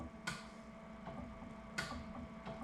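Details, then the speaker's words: Series 8 printer commissioning, solenoid valves tested: crisp single clicks every second or so over a quiet hum; solenoid working properly. "so if we do the flush you can hear that nice click we're going to go down to the gutter and then the tank makeup or clicking very well"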